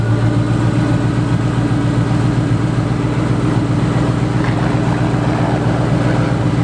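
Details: Single-turbo Ford 5.4 car with head work and a 3.27 rear gear: deep, steady, smooth idle with an even low rumble and no knocks or misses; normal idle.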